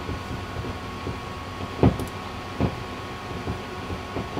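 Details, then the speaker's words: Hartke HA3500 350-watt bass amplifier with the EQ switched out: irregular pops and spluttering crackles over a low grumbling hiss, much worse with the EQ in. Cause suspected, not confirmed; the noise goes away when the master is turned down. "i can still hear that popping and spluttering and grumbling away there it's much worse when i put that in but it's still there"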